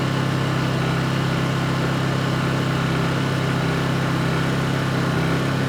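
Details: Honda EU2200i inverter generator, brand new just unboxed, running during a fuel-shutoff test: steady even speed, smooth low drone, no misses or surging; running normally.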